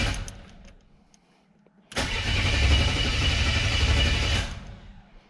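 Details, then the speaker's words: Buick WE4 that stalled at a light and won't restart: the starter cranks with an even churning beat for over two seconds but it never catches, even after the first cheap part swap. "Nothing. That sucks. All right. One more time. One more time. And she said nope."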